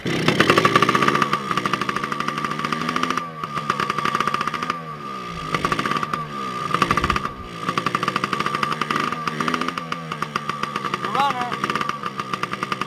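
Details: 2002 Yamaha PW80 two-stroke, first cold start after sitting over two years, with carb cleaned, new gas, oil pump removed, air filter off and carb not yet tuned: crisp, rapid popping climbs and falls smoothly with throttle, even throughout; runs cleanly.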